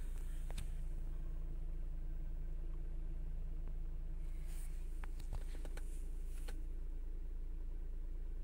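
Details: Chrysler/Dodge/Jeep-line engine, repaired intake gasket vacuum leak (P2173, high airflow). Idling from cold, settled around 750 rpm as it reaches temperature: an even low rumble with light clicks and no surging or hunting. It formerly surged to 1300 rpm and faulted past 1000. Fixed.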